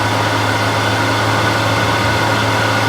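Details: Older wood lathe spindle running at about 1600 RPM, measured around 65 dB for comparison before a spindle bearing change on a new Harvey lathe. Steady, even hum with no knocks or grinding; normal running.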